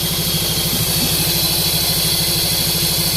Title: cylinder misfire